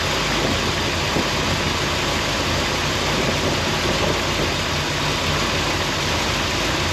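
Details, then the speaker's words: Warm idle of a 1970 Corvette C3 V8 with a new Edelbrock carburetor: steady, even idle at about 750-800 rpm under a lot of hiss, with no misses or stumbles. "So, we're we're idling around 7500 8,000."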